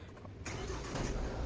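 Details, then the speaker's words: Normal diesel idle of a Mahindra XUV300 after about 50,000 km and two years of ownership; a steady, even low clatter with no knocks or misses, and the owner finds the engine sound normal and healthy. "यह diesel engine कि normal आवाज और ऊपर से don't उठा हुआ है तो और ज्यादा आवाज आ रही होगी और इसका इंजन काफी ज्यादा मेरे को बेहतरीन लग रहा है"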